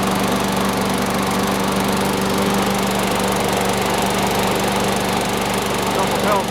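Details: Sears Craftsman mower model 917.370610 after wash, fresh oil and oiled wheels, air filter still due: small single-cylinder holds a steady, even buzz with no surging or misses; running smoothly.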